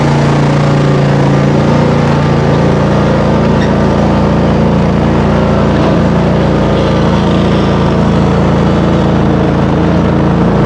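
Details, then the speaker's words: Raptor mower idling after a cold start at about 30°F, after 5 months on untreated ethanol-free fuel. An even low drone holding one speed with no misses or knocks; slight smoke cleared: normal idle. "so it started great it did smoke just a tiny bit which is fine it cleared out"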